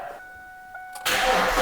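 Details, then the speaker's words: 2002 Ford Mustang, first start after tightening a forgotten connector bolt that had left the electrics unconnected. A warning chime, then an immediate catch into a loud, raspy but even roar. Normal running; loud exhaust because the rear mufflers are missing. "wow that actually sounds cool well there you have it guys it's a little loud but it does run and we realize that why it's loud is cuz it actually is missing the rear Mufflers"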